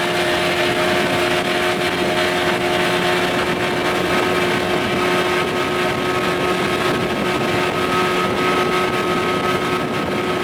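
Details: 1989 Evinrude 25 hp longshaft remote two-stroke outboard after a carburetor swap, wide open on a windy lake: clean, steady buzz at constant speed over wind and water noise; it pulls smoothly and sounds healthy, though the canopy may slow the boat.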